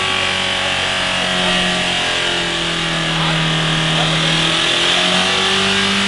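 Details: Mitsubishi Carisma diesel after the service tech accidentally overfilled it with several litres too much oil: the engine screams at a sustained high rev that drifts but never drops back, running on its own oil, a diesel runaway.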